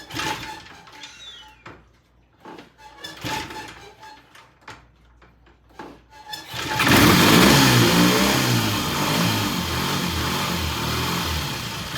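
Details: 1968 T100 vintage British twin with a new battery, started after slack was taken out of the throttle cable: handling clicks, then it catches and settles into a strong, even idle with no misses or knocks. Timing exactly on, mixture good. Normal start and idle.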